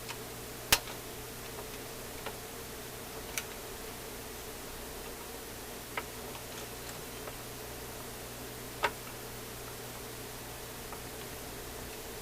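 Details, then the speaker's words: General Electric C-411 radio phonograph after mechanism maintenance, in gear: faint uneven mechanical ticks over steady hiss; record changer keeps cycling and won't stop or disengage. "it doesn't seem to know enough to stop"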